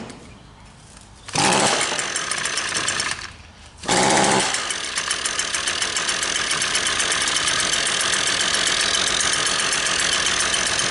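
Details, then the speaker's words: Two-stroke engine that won't rev or make power: idles oddly quiet and muffled, never climbing past a soft buzz; a plugged exhaust spark arrester screen is suspected. "See how quiet that is? I'm going to try and throttle it up. I bet you it's got a plugged exhaust. Seems to be idling okay. It will not rev up."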